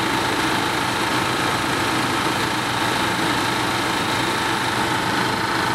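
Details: Car A/C compressor converted to an air compressor, engine-driven, filling a 3-gallon tank from under 110 psi through water separator and check valve: steady busy mechanical clatter and rattle; compressor noisy from low oil, later fixed.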